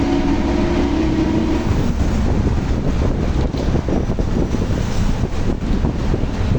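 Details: Torino S bus, Volkswagen 17-230 OD Euro V chassis, while driving: a steady loud low roar with a faint tone early on, constant under way, from a rear differential that is howling loudly.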